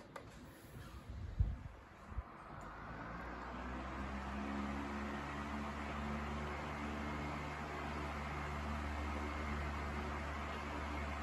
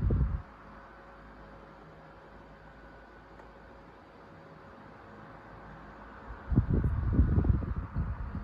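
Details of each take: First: Sears 12-inch oscillating table fan 453.80120, freshly oiled, running on high speed: steady, even motor hum with a low drone, plenty powerful and runs well; a subtle vibration and slight head shake come and go. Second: Sears 12-inch oscillating table fan 453.80120, about 40 years old, cleaned and freshly oiled, on high speed; quiet hum broken by short low rattling, buzzing bursts, subtle shake, owner thinks typical wear of old fan: intermittent rattle.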